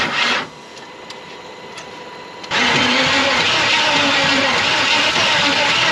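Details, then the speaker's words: Ford Ranchero 4x4, 350 Chevy parked 30+ years, bad head gaskets: the starter grinds, then ragged sputtering bursts that nearly catch but never run steadily; owner suspects timing is off with the lower gear installed backwards. "it wants to bad so kind of a last ditch effort here is to check our timing and I'm thinking the lower one is actually backwards cuz there is no marks anywhere"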